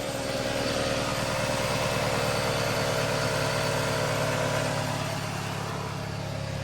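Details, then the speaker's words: Pontiac just after fitting a replacement for the failed starter: engine starts and settles into a smooth, even idle with a steady low beat and no misses, knocks or odd noises; normal idle. "But I'm gonna take this off, put it up there, and hopefully that'll fix it. I don't know. Hell yeah, brother. It's alive."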